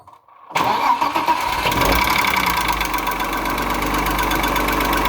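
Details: Engine knock on a 2.6 ABC engine. It catches after a half-second crank and settles into a fast idle with a light, uneven ticking knock riding over it.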